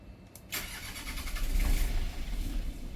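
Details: Boat's Westerbeke diesel generator, which would only click and not crank, after its battery cables and grounds were cleaned: starter cranks and the diesel catches and runs a bit lumpy and low, since it has hardly been run.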